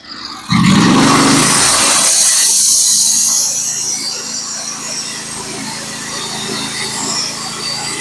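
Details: Norwood HD36v2 bandsaw mill with a Stellicut band, cutting 1x6 fence boards: a loud, even hiss as the blade bites through the wood, then a steady engine drone as the cut settles; a healthy, smooth cut.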